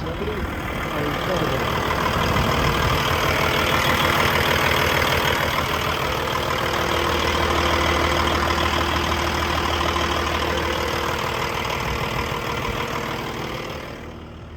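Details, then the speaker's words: 2012 Peterbilt 386, Paccar MX13 diesel, showing 1.2 million, idling with the oil filler cap off to check blow-by: even clatter at a steady idle, about three pulses a second, no knock, miss or hunting; normal idle. "I'm going to take the oil filler cap off, see how much blow by. That's probably the main concern, how much life is left in this thing."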